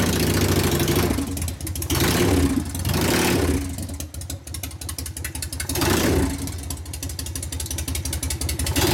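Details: 1999 80ci Evo rigid bike, after reassembly and repairs, started for a road test: even V-twin beat rising and falling with throttle blips, previous clanking and clattering now gone; drive sounds tight and healthy.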